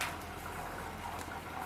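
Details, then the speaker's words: Samsung 8kg front-load Eco Bubble washing machine, three years old, baby care cycle just started: soft, steady trickle and splash of water filling the drum, no knocks or grinding; normal fill. "it's taking in water. You can hear those sounds. And it will begin spinning in a moment."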